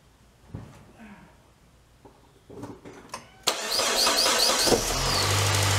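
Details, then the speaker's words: 2003 Saab 9-3 convertible engine cranks, catches and settles into a smooth, steady idle right after new spark plugs gapped to 1.1 mm were installed; runs normally, normal idle. "sounds good button her up"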